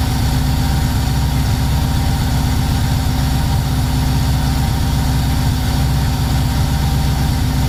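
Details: VW T3 Combi with Subaru engine swap, just started for the first time, coolant at 76 °C: loud, low, lumpy idle with an uneven beat around 240 a minute. It runs rough because the mixture is far too rich, about 12.5, with black smoke.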